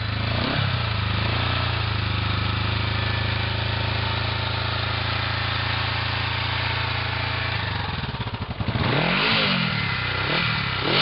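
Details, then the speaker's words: 1973 Honda CB450 twin with 3,301 miles, cold start on half choke in neutral: catches and settles into an even, steady idle, then a few clean blips; runs healthy, no knocks or rattles. "Now I'm going to start it up. Put it on half choke, run, it's in neutral."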